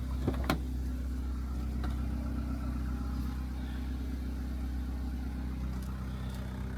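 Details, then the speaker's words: Turbo Honda Integra, now fixed of its bogging: low, steady, even idle with no misses, knocks or hunting at 13.5 AFR on 22% ethanol; normal idle, though a check engine light is on. "idling good, just where it's supposed to be."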